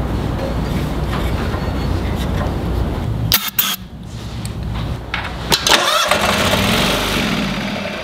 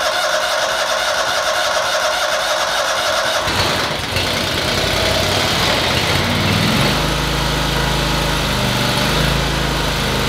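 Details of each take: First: Toro Wheel Horse 522xi lawn tractor that ran when parked four months ago: starter churns engine at about four turns a second with uneven bursts and pauses but never catches; fuel pump suspected, not confirmed. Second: Toro Wheel Horse 522xi garden tractor that would not start after sitting four months, during fuel system troubleshooting; quiet, then the engine catches and settles into a steady even run, no knocking or stumbling. Normal running.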